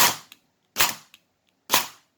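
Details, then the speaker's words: Airsoft AEG with Perun AB++ trigger set to pre-cocking level 6, 3-round burst, active brake 3: three sharp cracks about a second apart, no motor whir before shots, piston held back; near-instant GBBR-like response. "It's almost like a GBBR reaction time."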